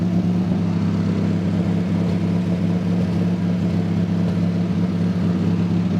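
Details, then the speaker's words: Mazda Miata, after the air intake was fixed, idles only intermittently and sometimes dies with any throttle. Low, uneven burble wavering in strength. Cause suspected, unconfirmed. Unstable idle. "we're kind of at a weird standstill of why it sometimes wants to idle and why it sometimes does not but we also can sometimes give a gas and sometimes not give it gas sometimes if you give it any throttle at all it just dies so"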